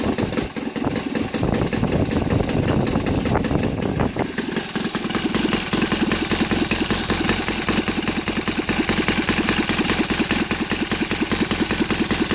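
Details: Saito FA270T twin model engine converted to gasoline with CH ignition, 20:1 mix, TF 20x10 prop, idling steadily and evenly at about 1000-1100 rpm with no misses or knocks; smooth, healthy idle.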